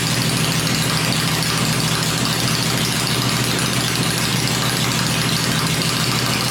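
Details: 96-inch V-twin motor with Edelbrock heads, freshly built and first fired on an engine run stand, oiled, fueled and showing oil pressure before going in the bike; steady lumpy beat at gentle fast idle, even, no knocks or misses; normal idle.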